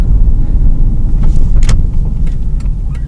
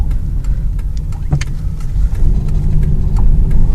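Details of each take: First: 2001 Ford Escape test drive after replacing both front sway bar end links (Moog K80296/Mevotech MK80296) that crackled and popped: steady low road rumble with no clunks, crackles or pops; a bad inner tie rod and power steering still make a little noise. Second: 2001 Ford Escape at low speed while turning: sharp, irregular crackling pops and clicks from left and right front, also over bumps; suspected worn front sway bar end links, before replacement.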